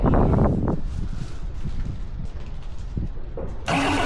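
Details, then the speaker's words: Kubota V2203 diesel from a reefer unit, being prepared for a 1959 Willys CJ5 swap, runs shaking with an uneven, stumbling misfire; owner suspects a loose injector hard line is sucking in air and creating an air pocket. "So, you can see it kind of shaking around a little bit. Uh anyway, that's what I'm going to try to figure out on it today."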